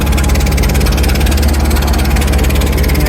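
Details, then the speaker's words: Rolls-Royce Silver Shadow V8 idling after refuelling an empty tank: sharp puffing tick over the exhaust note with each firing; exhaust leak somewhere, owner hopes not the headers. "but yeah oh well there's an exhaust leak somewhere here"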